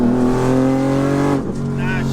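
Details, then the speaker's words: Highly tuned BMW on first hard drive: strong rising pull, then sudden drop and stumble as power cuts; fuel starvation under load, suspected surge tank running short when the second fuel pump kicks in. "it's a fuel pump guess that sounded like cavitation or something yeah keep going cuz look listen so it's definitely running short on on field"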